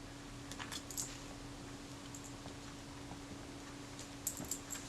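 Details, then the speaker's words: Kodak Retina IIS 35mm film camera being serviced: faint thin high squeaks as the lens is unscrewed, from dry, possibly corroded threads with dirty, waxy grease. "it's um not exactly smooth and coming out it's almost as if it's there was some corrosion or something's very dry field of those threads you can probably hear that squeaking sound"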